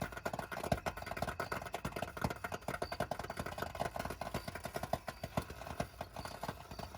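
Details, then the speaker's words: 2021 Coachmen Beyond AWD Ford Transit 350 HD van, about 3000 miles, just shut off after a 35-mile commute: continuous irregular sharp pops like popcorn from something hot, cause unclear. Popping after engine shutdown. "this was not a ticking this was a popping sound like popcorn and it was consistent it went on for a while"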